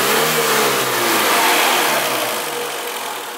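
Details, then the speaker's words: Renault Twingo after repair, engine running in the shop: a clean rev that rises and falls smoothly with no knocks, rattles or stumbles, healthy revving. "bacana o carro tá certinho bacana que tá mandando lisinho bonitinho como vocês puderam observar nossos poderes que não tem nada de errado com ele"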